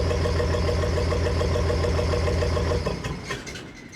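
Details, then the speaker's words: 1993 square-body Chevy dually with swapped 5.9 Cummins diesel and VE rotary pump leaking at relief port: steady deep idle clatter, about three and a half pulses a second, then winding down; smoke at idle not fixed, owner suspects pump adjustment, unconfirmed. "I did get one of my problems fixed. No, I did not get the smoking at idle fixed."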